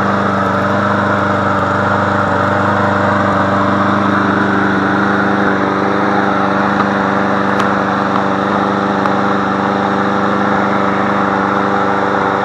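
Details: Push mower engine moved onto a different MTD deck, running after priming with a little gas and refitting the spark plug lead. Steady, even mid-pitched drone with no hunting or surging. Started first try and running healthy.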